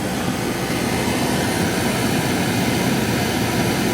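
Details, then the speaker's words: Porsche 914 heater blower, newly replaced blower motor tested on the car via relay: constant smooth whoosh of air at steady speed, no squeal, rattle or scraping, no air leaks; blower running normally. "I should be able to kick this over and the blower will go on. Blower's on. Looking good. No air leaks."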